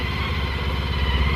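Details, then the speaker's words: Honda ST1300 after new Caltrix battery replaced a low-amperage one and an oil change: smooth, even pulsing idle with steady low throb and no ticks or misses; idles cleanly. "so we'll see if this one makes a difference oh yeah oh it sounds like it's got a lot more amps"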